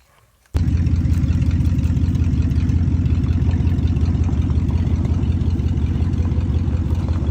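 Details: 1992 Ford F-150 XLT after throttle position sensor replacement for hard or no-start issues: silence, then the engine catches at once and settles into a steady, even idle with a low rumble, no misses or knocks; normal idle.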